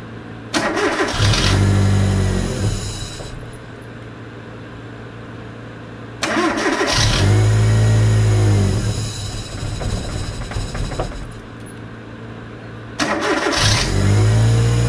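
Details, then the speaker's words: LPG-fuelled car that had intermittent stumbling and an unsteady idle, after replacing the spark plugs: three starts and short revs, each settling to an even, smooth idle with no stumble or misfire; engine running cleanly. "เรียบร้อยไปแล้วนะครับแก้ได้เลยนะอาการกระตุกนิดๆๆเดินไม่เรียบนะครับ"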